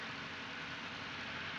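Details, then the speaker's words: Honda EF Civic after repairs including a replacement intermediate shaft: quick even idle with steady hum, no stumbles or knocks; engine moves on its mounts but runs good now. "Dude, you just bump the key and this thing turns on now. A lot better. She running good now."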